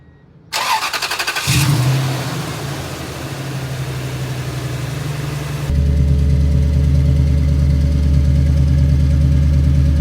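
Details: 2002 Toyota Tundra 2UZ-FE V8 on first start after replacing coil packs and spark plugs for a cylinder 8 misfire (P0308); cranks, fires promptly, settles into smooth even idle, no stumble; normal idle, misfire fixed.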